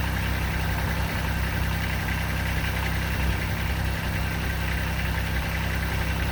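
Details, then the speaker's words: 2006 Kubota BX23D with D905 three-cylinder diesel, just after valve adjustment, started after four-second glow plug: steady, even diesel clatter at idle with no stray knocks; sounds much better, normal idle. "so we ought to be ready to start and run and see what this thing sounds like here we go hold on here we go keep a little blow glow plug four seconds one two three four let's do it [Applause] oh it sounds much better"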